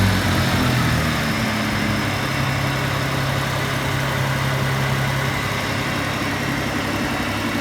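Engine blips then drops back to idle, with a quick light tick riding over the run at roughly four per second; source not identified.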